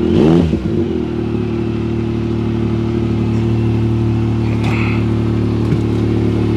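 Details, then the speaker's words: Salvage vehicle at a Copart yard, started in neutral with brake applied; unclear why it's there, maybe rolled: catches and settles into strong steady run, even firing, no knocks or rattles; "sounds damn good", healthy revving. "it runs man wonder what it's doing here they had to roll it or do something sounds good sounds damn good"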